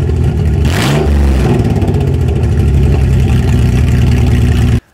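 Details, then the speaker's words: Toyota 3.4L engine swap, first start after reassembly with oil, coolant, bled clutch and evap work done; quick throttle blip, then a steady, smooth idle with no misses or knocks, no leaks; normal idle. "actually fired right up running pretty smooth no leaks"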